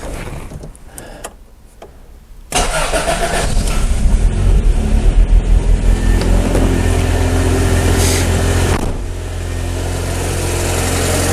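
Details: Project car with new battery after the old one caused hard starting: starter solenoid clicks, then the engine catches at once and settles into a steady, even idle with no stumbling; a healthy, prompt start.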